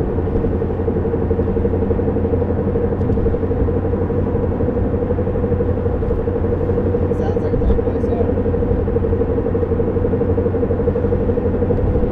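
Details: 1993 Honda Civic EX coupe while driving: steady droning hum at one pitch under road rumble, described as knock and scrape mixed; owner suspects a bad wheel bearing, unconfirmed.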